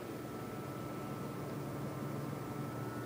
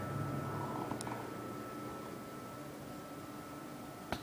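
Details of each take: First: PC idling (AMD FX-8350 with Corsair H50 cooler, AMD R9 290 GPU, HAF-X case): faint steady low whoosh with light hum, no ticking or rattles; normal quiet idle. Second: AMD R9 290 graphics card in a HAF-X tower with an FX-8350 CPU: quiet hum, then the fan ramps into a loud steady rush between game rounds; default fan curve (47% at 95C) makes it loud, less so after changing to 47% at 70C.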